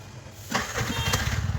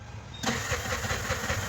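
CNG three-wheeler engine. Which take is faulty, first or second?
second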